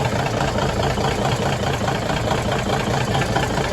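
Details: 1981 Peterbilt 359 diesel on its first start after sitting a couple months, bought untested for a rebuild. A deep, steady diesel clatter at idle with no knocks or rattles, and oil pressure is found to be great.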